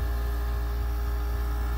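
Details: Goldstar WG5004 5,050 BTU pancake-style window air conditioner: steady low hum with constant even drone, no rattle or knock; cold air coming out, normal compressor and fan operation.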